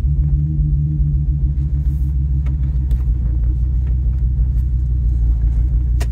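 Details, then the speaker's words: 2002 Ford Excursion V10 driving: heavy, lumpy, stumbling rumble, smooth then rough, from a cylinder 6 misfire caused by a failed ignition coil, confirmed by swapping coils 1 and 6 and the misfire following the coil. "he vehicle come up to the exhaust you can probably hear it so it'll be smooth for a second then that rough idle so that uh that coil is not firing"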